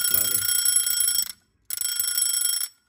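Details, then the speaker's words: Vintage travel alarm clock: loud, bright, rapid ringing in two bursts with a short pause; alarm bell works properly. "cứ hẹn giờ là nó sẽ ra một cái rất to đây rồi"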